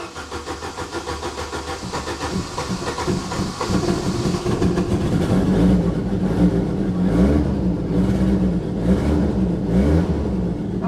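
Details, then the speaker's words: Saab 900 Turbo with K-jet fuel injection, previously non-running, after K-jet repair: uneven cranking catching into running, revs rising and falling cleanly; normal start and rev, though the engine still has small vacuum leaks. "So the Saab is running again."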